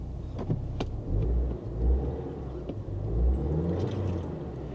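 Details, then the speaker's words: 2014 car with brake-pad, brake and check-engine lights on, listed as a non-runner, idles with a rough surge-and-sag hunt that clears then returns; could be a coil, worn spark plugs or a head gasket, cause unconfirmed. "The engine, it's kind of, ooh, there it goes. It runs rough and then it clears up, and then it runs rough and then it clears up."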